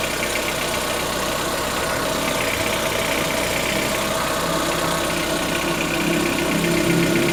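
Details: 2014-15 Chevrolet Onix 1.4 on gasoline, cold start: quick light ticking about four per second over idle hum; owner suspects lifter tapping inside engine, not injectors, present since new, lasting about 10 minutes and worsening yearly; dealer calls it normal.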